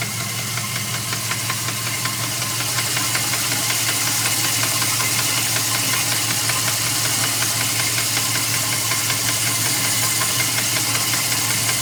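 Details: 2002 Dodge Ram 4.7 V8 at idle: loud, steady rapid knock over the engine note; three mechanics say it needs a new motor, owner asks if something else could cause it, cause unconfirmed.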